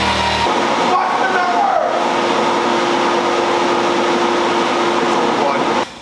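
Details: Stock 2024 Harley-Davidson Low Rider ST V-twin pulling under load on the dyno rollers during a base run before a stage 2 build: a loud, even roar with no knocking or rattle. Healthy; best stock run was 89 hp and 111 ft-lb.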